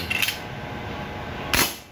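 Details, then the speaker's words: Armscor airgun firing: each shot cracks two or three times instead of once, pointing to hammer bounce; owner suspected an unbalanced spring. "okay so kung makikita niyo nagdodoble triple yung tunog ng putok Hindi isang putok lang yung palo niya"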